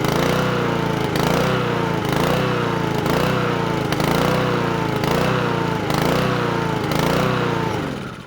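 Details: Probably a Honda Izy 16-inch petrol lawnmower hunting and surging, engine speed rising and falling about every 0.7 seconds; leaf litter under the deck suspected of blocking the governor arm, to be blown out.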